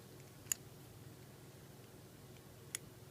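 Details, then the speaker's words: Tigris Premier 2 lock cylinder thumb turn: two crisp isolated clicks as it rotates; normal ratchet action from spring and pin in the thumb-turn shaft chamber, preventing turning back the other way. "on the thumb tan shaft we have a ratchet mechanism now if I turn this you can hear it"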